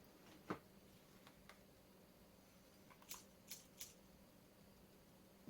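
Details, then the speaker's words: Homemade robot arm, servos powered from a 5 V rail with 3.3–3.5 V signals from an ESP microcontroller; supply sags below 5 V, giving faint irregular clicks as the servos try but fail to move; undervoltage, improves when voltage is raised. "you can see that it doesn't quite make it and if you listen carefully you can hear the clicking of these motors trying to do something and not managing"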